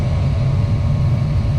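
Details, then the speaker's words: 30-year-old Goodman package unit after replacing rusted burners and the igniter pilot assembly: steady, even low rumble with no surging, popping or roughness; burners firing smoothly. "And that looks a whole lot better and sounds a whole lot better."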